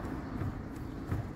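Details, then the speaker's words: Fiat Toro 1.8 16V E.torQ Evo, loud suspension noise persisting after shock and bump-stop replacement: two dull low clunks as the body is rocked side to side, one per swing, from play in worn stabilizer bar bushings. "Ó olha a folga na bucha da Barbie pessoal então aqui Você poderia trocar a suspensão inteira que não ia resolver eu já vi pessoal condenando a caixa de direção tá vendo lá a bucha da barra ó o Molejo chacoalha mais forte só para resolver"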